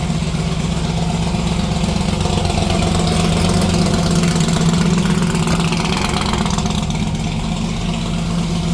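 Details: '57 delivery V8 at idle with new exhaust (Neighbor Hater mufflers): deep, loud, slightly uneven burble about four pulses a second; healthy engine, exhaust still loud.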